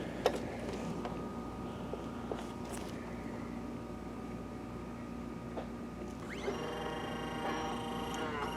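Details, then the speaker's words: Optoma HD141X projector, owner fitted a new lamp and it wouldn't light; low fan hum, then the color wheel motor whine sweeps up and holds because its index mark fell off and the sensor can't detect it; motor is fine, fix is replacing the mark. "so that little noise you were hearing that is the color wheel not being recognized by the color wheel sensor"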